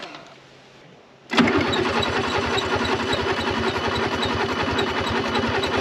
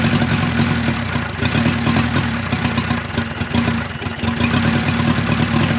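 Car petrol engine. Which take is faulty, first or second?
first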